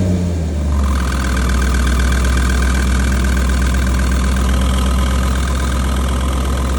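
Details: 2014 Maserati GranTurismo V8, 36K miles: starts and settles into deep idle with a faint steady whine over the rumble; owner is trying to identify the strange noise.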